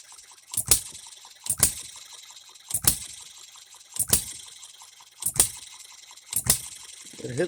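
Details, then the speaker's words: Economy hit-and-miss engine after new piston and re-ring, freshly oiled, no cooling water yet, seating rings: sharp hard firing bangs about once a second, evenly spaced with quiet coasting between; normal hit-and-miss running, governor to be adjusted slower. "it's lifting that up and we are hitting and missing now I will adjust the governor and slow it down"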